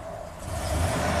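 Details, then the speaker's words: 1992 Ford F-150 5.0 V8 with used replacement throttle body, throttle position sensor not installed: snapping the throttle open makes the engine lag and revs climb sluggishly as the computer thinks the throttle isn't opening; slow throttle increase is fine. "it you can hear it obviously uh it doesn't like that because it thinks the throttle's not opening but if you slowly increase it"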